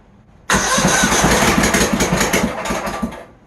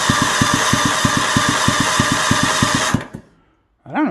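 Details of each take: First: Troy-Bilt GTX 20 engine, after a longer rocker arm bolt was fitted, run on sprayed car cleaner as starting fluid; catches with uneven, loud popping about four per second for three seconds, then dies; rough running, another issue still unresolved. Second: Troy Bilt GTX 20 engine, said bad by a mechanic, cranked on the bench with spark plugs installed: even regular compression pulses about three a second under steady starter whine, no odd knocks; normal cranking.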